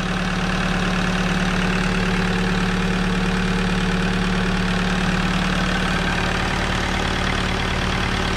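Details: Alfa Romeo 156 engine at steady idle with a busy, even ticking clatter over the engine note, consistent with chewed cam lobes.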